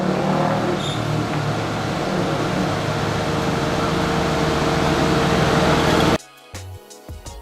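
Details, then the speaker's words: Perodua Myvi held at fast idle, engine revved consistently while coolant temperature is watched on an OBD2 scanner: the radiator fan cuts in after about 3–4 minutes, an even whoosh over steady engine drone, cooling fan working normally. "Okay, so sekarang kipas radiator dah berpusing. Kita hanya memerlukan lebih kurang 3 minit lebih ataupun 4 minit."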